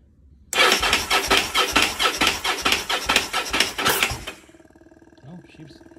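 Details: Motorcycle project that sat a long time with gummed-up parts: uneven firing bursts for about three seconds, then it cuts out; it catches but won't keep running. Cause not confirmed.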